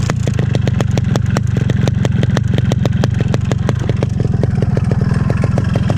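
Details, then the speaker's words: Standard original 2002 RX King two-stroke motorcycle at idle: a sharp regular ticking, about nine per second, over a loud idle. A knock; owner suspects a loose piston or connecting rod from hard riding, which would need the engine split. Unconfirmed. "Sebenarnya sekarang motor gua ini lagi kurang sehat karena mesinnya itu berisik banget mesin itu berisik banget di sini nih di dalam di sini nih kayaknya sih sehernya atau enggak stang seharnya udah goyang gitu jadi benar-benar berisik banget"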